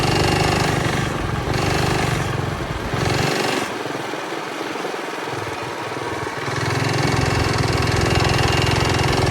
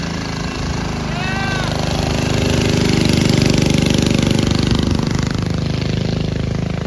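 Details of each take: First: Early-1970s Pacesetter Trailbuck mini bike on a test ride after fitting a new torque converter not set up for jack-shaft use; engine revs up and holds high, then sags and surges without gaining speed. Torque converter slipping. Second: Early-1970s Pacesetter Trailbuck mini bike, small single-cylinder engine, riding after replacing a failed torque converter and re-setting it for jackshaft use. Steady rapid drone, pulling smoothly as revs climb and ease off, healthy even run.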